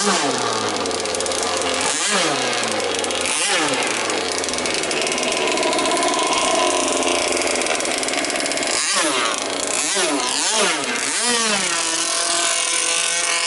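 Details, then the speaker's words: Jet boat engine on a river trial after an impeller change: harsh, raspy two-stroke blare swinging with throttle, far louder than normal because the silencer is off and it runs open exhaust. The motor mount came off during the run. "I don't think I'm going to run it tonight. It's without the the silencer on it."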